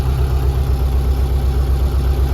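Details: 1974 VW bus with Subaru engine, belly radiator trial run without a cooler after dead-battery start, coolant not yet hot; low even idle hum with steady beat, no knocks, ticks or misses, smooth healthy idle.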